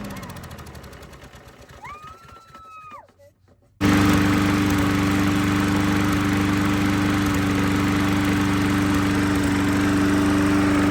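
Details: Discarded free lawnmower with a seized throttle cable removed, rubber band holding the kill control, freshly fuelled; one pull and it settles into a steady even drone; normal start and run.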